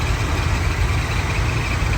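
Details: 1979 Buick Regal V8 after tune-up, started after earlier backfiring on crank: steady, even idle with a smooth low rumble and no misses or stumbles; running right.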